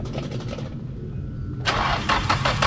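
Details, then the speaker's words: Nissan 240SX S13 with a freshly swapped SR20DET replacing the KA24DE, first start attempt. The starter cranks evenly but the engine never fires; the new fuel filter had not filled, so there was no fuel prime. "no Prime nothing no Prime yeah straight for it but the fuel filter fill up it's brand new"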